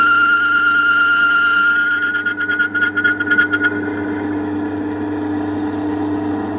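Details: Homemade mini metal lathe, part 4: a steady motor whine with a short patch of rapid chatter from the cut, then an even hum; the lathe is running normally.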